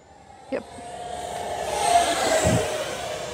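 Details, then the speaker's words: Eachine F-18 50mm EDF jet on a 3S 1300 battery in cold weather: a high fan whine swells under full-throttle load and one short beep cuts through. Low-voltage alarm; one cell sagging is suspected, not confirmed. "There's like one beep. It's weird. It might have had one cell sag just a hair for a second, and then the smart circuit."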